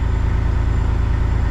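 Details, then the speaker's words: Kenworth cabover diesel under restoration. Steady, even idle with a low, regular pulse and no misses or knocks; normal idle. "God, that sounds good, though. So happy."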